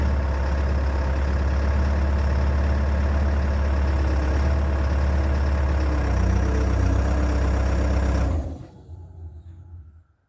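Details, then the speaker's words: Abandoned CAT excavator diesel on its first start in months after sitting for years, cold day, little runtime, revs kept very low while the rebuilt pump may not be fully primed: deep, even low-rev rumble with no knocks, then clean shutdown; normal cold idle. "i've sent the video to a few guys who are familiar with cats and they've had a look at it and they're happy with the way it sounds given temperatures that were there how little runtime the engine had had"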